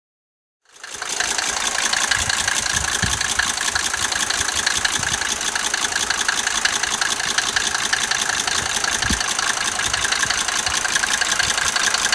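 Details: Mercedes 190D 2.5 L diesel at idle: a steady idle carrying a fast, fairly even clatter near three beats a second. There is an engine noise, but no clear fault can be identified.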